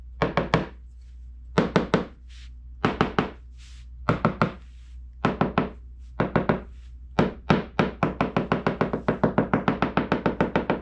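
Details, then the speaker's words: 1995 Sea-Doo SPI hull tapped with a wrench around gel coat/fiberglass damage: sharp, crisp, uniform taps with no dull thuds, like tapping a hard hollow wall; solid hull, no delamination. "We're getting a very uniform, light tapping sound. It kind of sounds like you're tapping on a wall or a door or something else hard and hollow. That's what you want, all right?"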